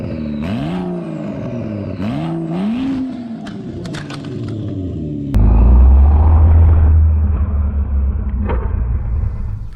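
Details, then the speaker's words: 2011 BMW 335xi N55 engine being rebuilt, car on lift, started with no exhaust fitted: loud, raw, even rumble with audible turbo whistle, runs smoothly with no knocks or misses; normal idle. "it sounds super nice dude you hear the uh turbo whistle actually knocked the tripod over"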